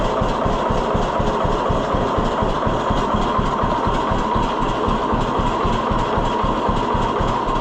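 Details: 1948 John Deere B tractor after Wico X magneto work: slow, even two-cylinder putt at about two beats a second with no misses. Healthy low idle, lower than before; the owner thinks the hotter spark made the difference.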